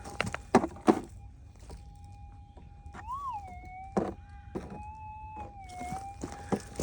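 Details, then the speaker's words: Minelab GPX 6000 metal detector with GPZ 14 coil, low sensitivity, normal ground mode: a thin tone swells and warbles twice as the coil sweeps, between scrapes; false signal from a hot rock. "Might be this rock might be hot. Yeah, hot rock."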